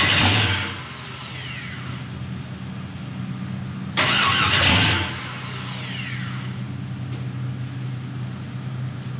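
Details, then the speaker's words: 1000 hp turbo LS Mustang on its first start-up: starter whirs in bursts, the engine catches briefly then dies; extended cranking and a hard start, the hardest of the owner's cars to start. "Again, now it doesn't want to start again. Weird. This is honestly probably the most difficult any of my cars have been to start."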